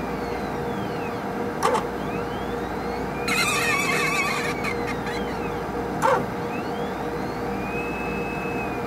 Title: 2 minutes of relaxing sounds from a squeaky HPLC sample pump